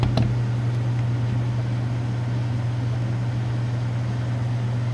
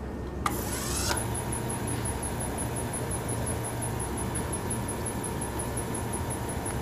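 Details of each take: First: 1931 Frigidaire W-5 refrigerator condensing unit, just started after charging: low steady hum, even drone, no knocks or rattles; compressor runs quietly and healthy. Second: Restored antique Frigidaire W-5 refrigerator condensing unit during charging, no liquid circulating yet: low steady compressor hum with a thin, constant high squeak over it; cause unclear, owner suspects the suspension mounting.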